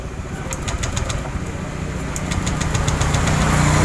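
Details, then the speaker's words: Honda Vario 125 fuel-injected scooter, test before repair: revs climb with rough, uneven drone, labouring instead of pulling clean; engine bogs at high rpm on full throttle. "Hai bagus akan coba motor ini agak begok Mas kalau ditarikan atas"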